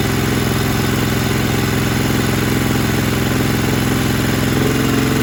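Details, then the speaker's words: Kohler Command 20 hp on a Craftsman GT mower, after reassembly following runaway wide-open engine speed (plastic governor suspected, nothing found): strong steady putter at constant idle with even firing, no surging; holds idle properly. "I got idle control uh throttle is working like it's supposed to looks like it's smoking a little bit because I had the sump cover off and oil everywhere so I was going to go through that phase but as far as the idle speed it's running fine"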